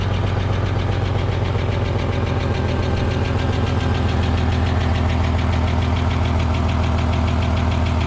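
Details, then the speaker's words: EF Ford Fairmont, cold idle before repair, microphone near the muffler: tinny, uneven rattle over the exhaust beat; owner suspects loose baffles in the centre-section muffler, which has holes, after clamping catalytic converter heat shields didn't fix it. "It feels and sounds like all the baffles have gone in the muffler, they're rattling. I know the muffler's got a few holes in it."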